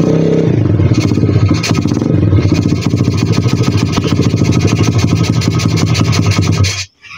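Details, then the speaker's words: 125 cc pit bike single, idle screw backed off three turns, runs loud and ragged several seconds then cuts out abruptly; won't idle, cause unknown. "Hnedka chcípá mrdka. Proč? Ale [ __ ] Mrši. No proč? Ale [ __ ] chcípá."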